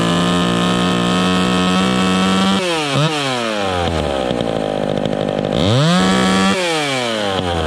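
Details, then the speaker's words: Vintage chainsaw during carburetor tuning: a high-revving, burbly, uneven note at no-load top speed, four-stroking from a rich high-speed mixture. It is expected to clean up in the cut. "okay that's good right there she's a blubbering blubbering in the cut are blubbering when she's revving up on no load but it should clean up in the cut"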